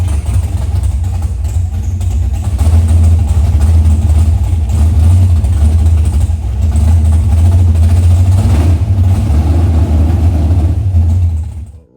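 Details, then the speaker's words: Car started: a deep, heavy, uneven roar holds for ten seconds, louder than it should be; something is wrong, cause not yet found. "Something something ain't right, y'all. Yeah, it's loud. Something ain't right."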